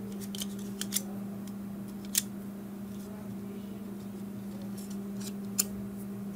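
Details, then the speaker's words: Dell Latitude E6420 laptop fan after removing a broken plastic piece from inside: steady even hum, no rattle or scraping, few handling clicks; now running normally. "Now it seems to be good."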